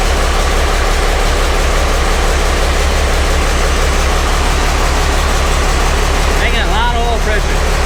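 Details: Truck recovered from the woods seven months earlier, refired after its first fire: steady, low, even idle with a regular beat and no knocks or misses.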